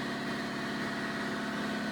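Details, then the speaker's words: Shop air compressor relocated out of the middle of the shop after cutting it apart and mounting the tank separately: steady, even motor hum with constant hiss of air flowing into the tank, no knocks or rattles; running normally. "it's running so much better than being in the middle of the shop."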